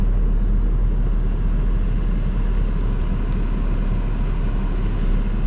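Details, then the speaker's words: 2003 Saab 9-5 2.3 L petrol, after a fuel filter replacement and a very slow start: steady, even low rumble with no stumbles, ticks or hunting; idling good, though a fuel leak was found afterwards. "it's idling good besides in a bit it was very slow started there you go running"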